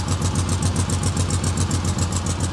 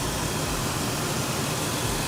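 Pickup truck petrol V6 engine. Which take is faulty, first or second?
first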